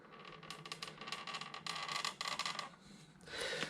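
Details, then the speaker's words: Samebike L026 version 2 e-bike rocked slowly (silent when pushed fast): dry, scratchy creak repeating in bursts, loudest mid-stroke, loud; creaking from the rear suspension area, fixed by undoing bolts with a 5 mm Allen key. "now if i push it fast there's no noise but if i do it slowly hopefully you can hear that creaking well there you go that was loud"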